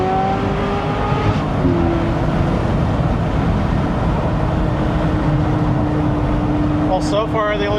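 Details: Ferrari 355 V8 during inspection: deep rev with road-like rumble falling back smoothly to idle, no knocks or rattles, not missing; sounds totally normal.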